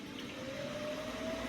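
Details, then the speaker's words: Electrolux EWX14450W washer-dryer on its drying cycle after a successful wash test: a steady low hum with a thin whine creeping slightly upward in pitch as the drain pump runs normally, pumping water out while the machine reports heating. "says it's heating now there's water coming in somewhere pumping out"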